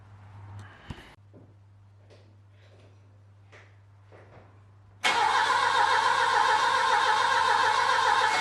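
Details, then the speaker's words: Saab 900 Classic, first start after years of sitting, following a Zenith/Stromberg CD175 carburetor rebuild, fuel tank cleaning and float bowl pre-fill: the engine catches and roars loud and ragged without settling into an idle. It starts smoky, and the owner suspects the timing. "well that was a bit of a smoky adventure i think something in the timing might be wrong"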